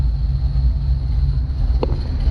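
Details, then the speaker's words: 1966 Chevy truck just after an oil change with a better oil filter, oil pressure confirmed, no leaks; deep, even low rumble with steady beat, no knocks or ticks: loud but normal idle. "boy this thing's loud i'm sure the neighbors love me"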